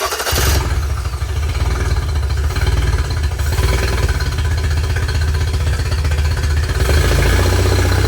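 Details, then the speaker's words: 2005 Yamaha T50TLRD 50hp outboard after the head was decked, a fresh head gasket fitted and compression restored: uneven, lumpy beat with skipped pulses. Still missing on a cylinder; a dirty injector or the high-speed circuit is suspected. "way that it sound like it's still missing that sounds pretty good man"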